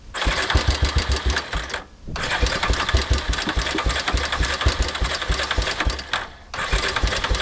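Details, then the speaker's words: A four-wheeler that sat in the woods for years starts and then dies with uneven chugging, sagging and nearly stalling twice. The fuel tank was found on reserve and was switched to on. Spark is present, so fuel starvation is suspected. "dang it I don't think we're getting any fuel oh I wonder if the fuel's turned off"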